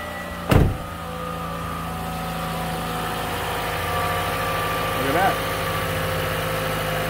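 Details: Toyota after fuel pump replacement and fixing an improperly installed fuel pressure regulator seal: smooth even idle, no misses or ticking; fuel pressure reads 49, within the roughly 44–55 spec.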